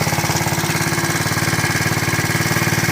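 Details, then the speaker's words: KC Pep Boys pit bike, small air-cooled two-stroke, first run after sitting 3+ years, cold at about 40°F on choke: quick, even popping buzz that runs steadily without stumbling; normal cold running on choke. "It's kind of cold out right now. It's right about 40 degrees, so sounds like it's running. Let it run and see what happens."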